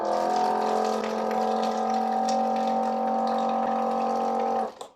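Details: Kiwi KWP-8510 rechargeable water-bottle pump, about 1.5–2 years old, run without charger plugged in: steady mid-pitched motor hum with even tone for several seconds, then switches off; pump runs normally.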